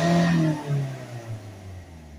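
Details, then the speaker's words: Volvo C30 1.6 HDi diesel, stationary, after clearing codes (DPF blockage codes 2A40/2A30, glow plug relay code remaining): snaps up quickly and falls back smoothly with no hesitation or cut-off; revs freely. "let's start it back up and we'll keep an eye on these levels again so we've got full revenue"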